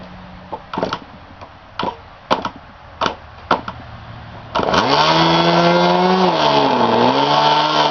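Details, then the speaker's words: K&B 20 RC glow engine, flip-started at about quarter throttle on a 20-year-old 72 MHz radio: a few pops, then an even high buzz; no fuel leaking around the head, only some from the carburetor, as expected; normal running. "As we can see, no fuel coming around the head. There's some strain out of the carburetor, which is to be expected."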